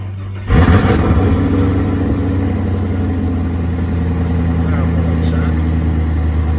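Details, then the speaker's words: 2022 Chevrolet Camaro SS V8 after the header-to-exhaust connection underneath was refitted to fix exhaust leaks and fumes: deep, even rumble after a sharp rev, with no puffing or ticking at joints; the exhaust sounds sealed and healthy. "Sound a little better. He said he ain't see no more exhaust leaks or anything."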